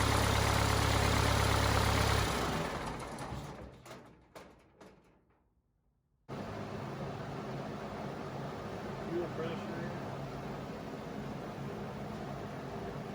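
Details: Cummins 4BT diesel in a Power Wagon, first run since 2015, new filters, temporary battery, 8 psi fuel pressure, not hot; after a quiet gap, low steady chug at an even rhythm, no knocks or misses: normal healthy idle.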